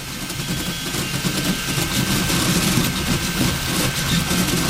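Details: Riki200 v3 pulley-style 3D printer with NEMA17 motors, first print at 180 mm/s and 4000 mm/s² acceleration: steady buzzing hum with fine rapid motor chatter, running fast and smoothly. Steps are later skipped from overdriving.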